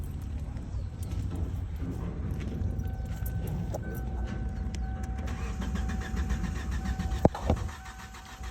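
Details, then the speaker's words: 2007 Kia Sportage 2.0L cranks but won't start: muffled steady starter cranking after a key jingle with no firing; fuses and ECM main relay checked OK, new control board fitted; crank and cam sensors get no 12 V supply, source (ECM or fuse box) unknown. "The car is not starting. So, that's how it is. The crank, the cam sensors are not receiving the volts, which is the positive volts or 12 volts from"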